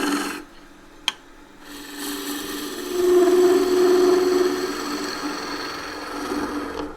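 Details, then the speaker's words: Wood lathe, green timber: raspy cut swells into a steady mid-pitched vibration hum for a second or two; tool chatter from pushing the gouge too hard. "get that vibration, that humming noise. Which I had just there and can't repeat. That's a sign that you're just pushing too hard."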